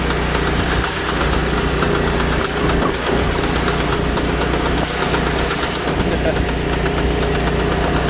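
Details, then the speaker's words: Sears Suburban garden tractor, fourth transaxle failure this year, began while hauling firewood: repeated knock from drive side grows louder with throttle, silent in neutral and with pedal pressed; knocking under load, cause unconfirmed. "give it some gas getting a little louder maybe the noise will just wear itself out and go away or maybe the whole wheel will fall off"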